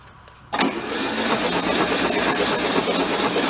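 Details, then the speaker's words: Volkswagen convertible Beetle parked since 1995, oil checked present: starter spins engine at brisk even pace with steady chuffing, no knocks or binding, pumping oil through before compression test; normal cranking. "I wouldn't say you hear it pick up speed. Yeah, plus it's pumping oil through."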